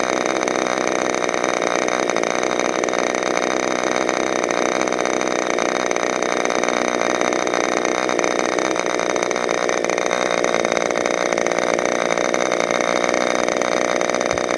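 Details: Freshly overhauled modified K&B .61 glow engine from CF Lee on test run: steady high-pitched buzz at even speed with no misses or rattles; running sweet.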